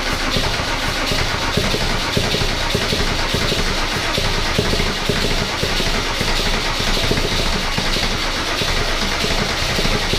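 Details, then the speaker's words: Mercedes W124 OM606 diesel turbo project, first start: loud, hard clatter held at a fast, unchanging speed instead of settling to idle, because the throttle was held partly open. Owner first suspected fuel leaking or a runaway. "oh all right so that was scary wow what the was that so there's obviously some fuel leaking somewhere"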